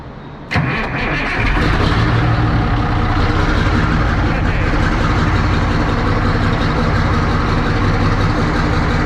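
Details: 1963 Diamond T 931-CN cabover semi diesel, unstarted for one to two years, after fixing fuel-shutoff hot wire connection: catches almost instantly, builds to steady even idle with light throttle swells; starts and runs cleanly.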